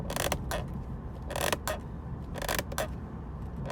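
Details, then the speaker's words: 2020 Ford Expedition EcoBoost on a 2,700-mile trip: short bursts of plastic squeak and rattle, paired about once a second as the body hits small bumps, over road rumble. Cheap interior trim squeaks and rattles; exact source not confirmed. "can you hear the squeaking the cheap plastics it's all over the place it squeaks and rattles and it's terrible in here"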